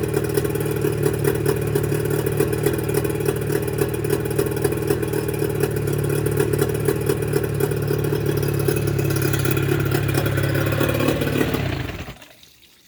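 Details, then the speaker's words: Mercury 25 HP two-stroke outboard before Boyesen power reed install; uneven clattery buzz with wavering revs and irregular pulses before cutting out, roughness blamed on the reed valves: rough running, misfiring. "what do you say you'd be amazed that you wouldn't think that these two little pieces of metal is what makes the motor run so rough"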